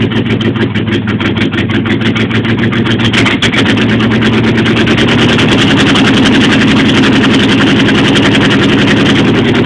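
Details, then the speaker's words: Jeep Wagoneer cold start, cold idle: steady pulsing rumble with a thin squeak on top; some belt suspected dragging, which belt is unknown. "Alright, well I got some kind of belt dragging on it. I can hear it squeaking, so we're done."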